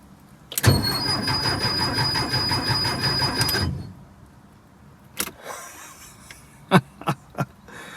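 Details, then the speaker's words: 1976 Porsche 914 with a VW Type 4 engine, first crank after sitting 30 years: about three seconds of slightly labored, uneven cranking; the battery sounds weak, and it may lack spark or fuel. "sounds kind of weak the battery sounds kind of weak [Laughter] it sounds like it's turning over pretty good though"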